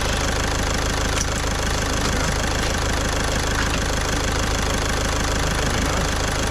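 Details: Caddy diesel after a week-long repair in which a stuck injector was removed with a slide-hammer puller kit: even, steady idle clatter with no misses, surging or odd knocks, nice and quiet, running lovely. Normal idle.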